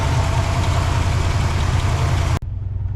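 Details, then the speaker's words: 1964 Oldsmobile 98 V8 revived after sitting for years, running on its own at high idle: deep steady rumble with a mild uneven lope about three pulses a second, running relatively smooth overall. "all things considered it's running relatively smooth I just hope I"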